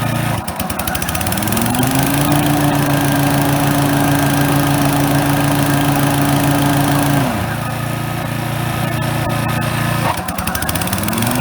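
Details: Brand-new Toro TimeMaster electric-start mower, model 21200, first start, idling and then blades engaged for the first time after a delay: a smooth, steady idle that settles lower and stays even. A healthy new engine running normally.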